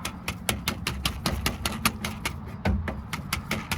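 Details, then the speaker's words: Jeep Wrangler TJ door rattle traced to the window crank regulator inside the door, suspected dry; worked by hand it gives a quick, even clicking rattle about five a second. "so I come to the conclusion it is this thing that's rattling on the inside I'm guessing it's dry or something"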